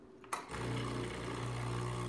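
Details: Breville Barista Express espresso machine: after a click, a steady low buzzing hum with droning overtone as brewing starts; intermittent unusual pump noise, cause unknown.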